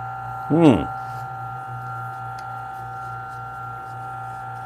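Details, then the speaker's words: Turin DF64P espresso grinder with newly fitted Gorilla Gear burrs, listening for burr contact while finding zero: steady motor hum with no scraping or chirp; burrs spinning freely, not yet touching, normal running. "hopefully you guys going to hear the tripping noise okay it's not tripping so far"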